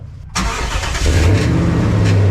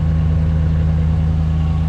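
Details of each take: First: Dodge Ram with a burnt-through makeshift, previously welded exhaust, before replacement: engine cranks and catches, then a loud raspy, rattling drone at idle and on revs; air audibly escapes and it rattles like crazy, an exhaust leak. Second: Dodge Ram after replacing a burnt, rattling, leaking makeshift exhaust: deep, smooth idle with a steady low hum, no rasp, puffing or leak ticking; much quieter now.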